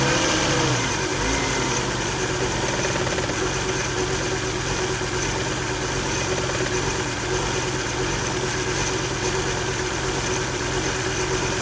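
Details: 2000 Volvo V70 petrol idling roughly, engine shaking, with a faint steady whine (maybe a rusty bearing or pump); failed electronic throttle module, codes P0220, P0221, P1600, P1610; replacing the ETM cured it.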